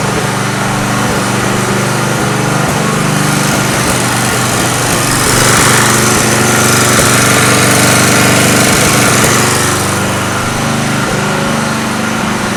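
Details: Homemade tri-fuel conversion running: loud, uneven engine beat with lumpy pulses three to four a second that never settle, like a fuel-starved engine hunting; runs poorly, owner suspects the tiny-bore hose is the main restriction.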